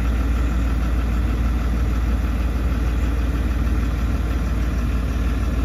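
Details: Range Rover, first start with the exhaust and particulate-filter system fully reconnected after six weeks of repair; engine still in running-in. Deep, steady diesel idle with an even low rumble, thicker exhaust note, no knocks or misses; runs smoothly.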